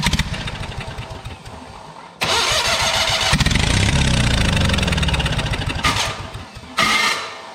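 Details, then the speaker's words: Abandoned Spider forklift with carburetor, first start attempts after fuel system cleaning: cranks and catches, runs rough and smoky for a few seconds, then dies unless the key is held in start; owner suspects screwy ignition, like a coil issue. "there's definitely something going on here it only stays running if my keys on"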